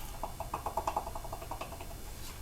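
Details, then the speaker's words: Left front CV axle removed from an R32 Nissan Skyline GTR, worked by hand: quick dry clicks in bursts from the outer joint, whose boot was torn and had lost much grease; scoring inside suspected, intermittent driveline clicking, replaced with a reman shaft. "so he's had some noise and obviously the boot is ripped on this end it definitely sounds like it's scoring inside"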